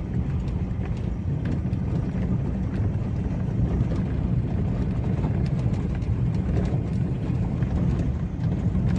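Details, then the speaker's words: Toyota Avanza/Daihatsu Xenia 2012-up with electric power steering, test drive over rocky road after steering gearbox repair: only steady road rumble and wind, no knocking from front suspension felt in steering wheel; now smooth, normal. "Ya sudah halus tidak ada bunyi kasar ya yang bunyi krutuk-klutut di bagian kaki-kaki depan yang terasa di setir"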